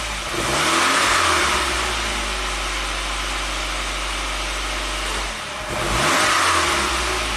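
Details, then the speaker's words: 1993 Saab 9000 CSE Turbo, hot, idling high and wavering. On throttle the revs sag sharply, almost stalling, then pick up. Check engine code 5 flashing, a possible TPS signal fault. Hesitation on throttle tip-in, cause unconfirmed. "okay idle is going up and down a little bit I press the throttle it drops off a"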